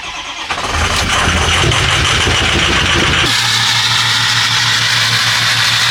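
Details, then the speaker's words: 2006 Ford F250 6.0 Powerstroke diesel after installing a FASS 220 lift pump, cold start; cranks and catches within a second, flares, then settles to a steady high idle near 1000 rpm. Fuel pressure 69 psi versus 55 before; healthy. "I swear guys I love the high idle on these trucks uh it just revs up to pretty much much 1,000 RPMs it's just High idling right now"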